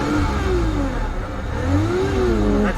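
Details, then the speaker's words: Peugeot 607 Z8 phase 1, ES9J4S V6 petrol with ZF 4HP20 automatic, after misfire repair and one injector cleaned, oil still cold; smooth, steady run with stable rpm and a couple of light rev blips, no stumble. "So as you can see, the RPM is now very stable."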